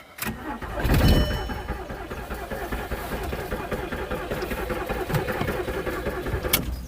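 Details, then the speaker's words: £100 VW Polo retrieved from scrapyard, battery charged, not in gear: starter turns the engine steadily and rapidly for several seconds but it never catches; fuel pump sounds like it is trying; cause unconfirmed. "It actually did give me a little bit of a crank there."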